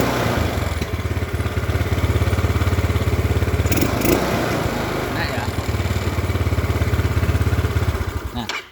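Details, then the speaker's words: Old Yamaha Mio after fuel line/carburetor fix, engine run then shut off before refitting the size 38 pilot jet: steady even putter at fast idle, cuts off cleanly; normal idle. "Setelah nyala dengan ee bagus ini nanti kita tutup, kita matikan ya nanti ini. Nah, setelah nyala ee sudah normal, kita kembalikan pilot jet-nya menggunakan ukuran 38 agar motor ini masih tetap utuh keiritannya."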